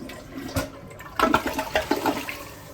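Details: Kohler toilet after replacing a worn fill valve that squealed when the kitchen faucet ran: steady rush of draining water and refill hiss, no squeal or whistle; flush and refill normal after repair.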